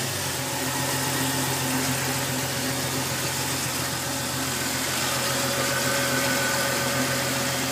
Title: Jeep cherokee strange engine knock